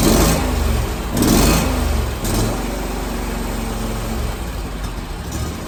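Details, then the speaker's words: Kawasaki-engined zero-turn mower with a hot-start problem, restarted after running half an hour and sitting 15 minutes: cranks briefly, catches and settles to a smooth idle with no solenoid chattering. "don't hear the sullen like chattering that's good"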